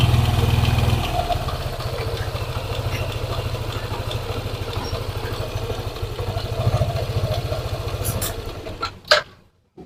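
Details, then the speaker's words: Yamaha NMAX scooter, quiet when cold, engine hot: idle with steady fast ticking over the engine beat, louder when throttle is opened, until shut off; worn water pump and engine bearings ticking when hot. "jadi bila mana motor ini kita gas dia suaranya nya tambah terdengar"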